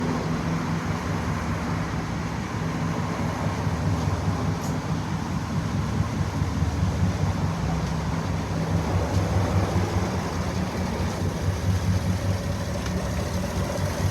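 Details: 2016 GMC Sierra V8 at idle: deep, uneven hum stumbling about twice a second, rough unstable running from a misfire on cylinder 7, with a valve suspected not working.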